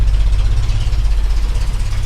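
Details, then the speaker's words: 1965 Mustang V8 with Edelbrock carburettor at idle, heard at the exhaust: deep lumpy uneven pulses like dropping cylinders, shaking, tractor-like; clears when revved; idle misfire, suspected carburettor idle circuit problem. "you can hear the listen to the exhaust note and it's sounding more like an old John Deere trctor than a than a Mustang"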